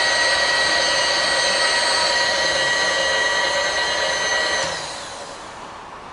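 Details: Bridgeport belt-drive milling machine, serviced and in good working order: a steady, even whine with clean, stable tones and no knocks, then a smooth spin-down, so the spindle runs normally.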